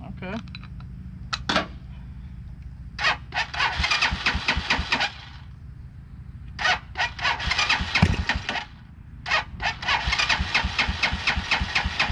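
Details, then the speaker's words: 2010 Dongfeng DF250RTB 250cc air-cooled single, first start after 10 years sitting, choke taken off too soon: fires and runs in uneven bursts of blipped revs with gaps, ragged but running; normal running. "off the choke too soon well it runs well that was fairly simple"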